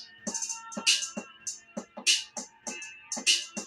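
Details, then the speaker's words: NEWVEW NV-T229BT solar lighting kit speaker plays clean beat-driven music with no buzz or rattle. This is after fixing an offset rubber surround that had been touching the plastic and causing the earlier rattle. "so that is solved I can't hear that rattling anymore"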